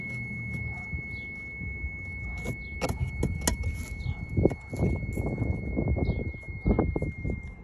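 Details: E46 BMW 330i, stock apart from an air intake: a thin, steady high buzz over the engine rumble while the brake pedal is pressed, heard at the brake booster area and under the pedal. It is intermittent, worse in warmer weather, absent on morning drives, and braking is normal.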